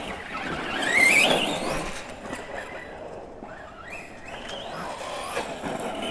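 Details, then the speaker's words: Kraton 4S RC truck with new heavy-duty drive shafts, test run on gravel: brief rising high squeal over tyre and gravel noise as power goes down; the slipper clutch slipping normally and working well. "These new drive shafts in there, you can definitely hear the slipper clutch working. You know, I mean, it seems like the slipper is working pretty decent"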